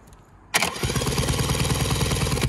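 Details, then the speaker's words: Mariner 30hp outboard, fuel system bled, on a jump pack: quick, even cranking pulses, about seven a second, with no firing; spins over well but no spark or ignition. "it spins over lovely yeah but we've got no spark we've got no ignition at the moment"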